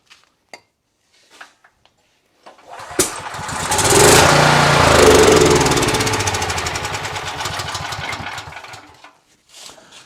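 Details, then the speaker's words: Briggs & Stratton 8750 generator left unused all summer, won't run with fuel on and choked; fires on starting fluid, runs ragged about six seconds then dies; no-start fuel delivery fault, suspected then confirmed failed carburetor fuel solenoid. "So with the fuel on and it choked, pulling it over, it's just not firing."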